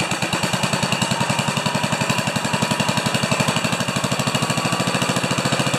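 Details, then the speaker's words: 10 HP Kohler K241 single-cylinder engine after fitting a modern plastic mechanical fuel pump, running out of fuel at shutdown: fast, even chuffing of about ten beats per second breaking into ragged, uneven gasps as it sucks air; fuel starvation sputter. "anybody who's ever owned one of these they say they love that last few gasps when it's sucking air"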